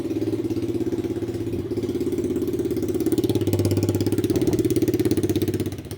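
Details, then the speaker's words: Rebuilt 125cc Chinese pit bike test-running a homemade welded muffler with its internal pipe fitted each way: even, steady single-cylinder putter with clean pulses and gentle rev rise; both orientations work, one quieter, healthy. "Wow. Both of them seem to work. Wow. That's definitely the quietest right there. I think that has a better exhaust note though."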